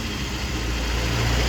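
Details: 1993 BMW E36 sedan, 1.6 chain-driven petrol four-cylinder, cooling redone, daily driver: low, steady idle with even beat, no knocks, ticks or misfires; normal healthy idle.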